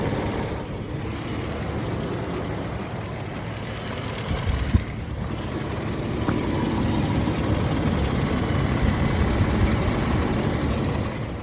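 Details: 2008 Toyota 4Runner, 1GR-FE 4.0 V6 at 150k miles, idling with a light regular tick/knock about four a second; noise drops about 75% when revved or under load; owner suspects injector, valves or timing chain, unconfirmed.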